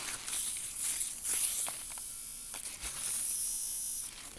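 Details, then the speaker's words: Motor of the VM 1200 series record changer in a 1964 Majorette stereo record player, run-tested after it was found frozen and then reassembled and oiled. Light, even whirr with a steady high buzz, no grinding: runs freely, drawing 12.6 W at no load. "my motor is reassembled I'm just gonna give it a little run test here can't even hear it running good"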